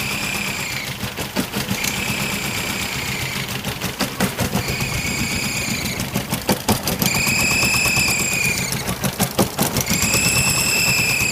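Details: Toyota 22R engine: rough, rapid ticking with short rising high-pitched squeals in bursts every couple of seconds; owner suspects an EGR or vacuum leak and fears a bent valve.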